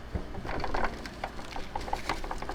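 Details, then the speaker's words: Loose debris rattling inside a thrift-rescued NES with a rusty power supply/RF modulator section (possibly sat in water), tipped near the microphone: irregular light clicks and ticks as loose bits skitter around in the case. "a lot of stuff it sounds like debris rattling around in there I'm scared to open this thing up man this thing is gonna be so gross"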